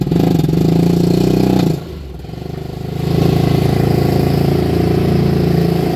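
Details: 1999 Polaris Ranger 500 6x6 at wide-open throttle: a single pulls hard, drops off, then drones flat without building revs. Power loss and backfiring from a worn camshaft; it runs fine at light throttle, the plug looked dry, and there was blowby in the air filter.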